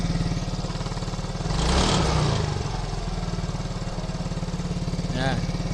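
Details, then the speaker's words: Yamaha motorcycle idle too high and rising and falling every couple of seconds before a manual ISC (idle speed control) reset: unstable idle hunting from the idle speed control needing a reset. "Oke, motor sudah bisa hidup ya, tapi kondisi stasionernya tidak stabil ya, kayak ini terlalu tinggi dan juga seperti naik turun gitu ya, nggak stabil ya, nggak stabil."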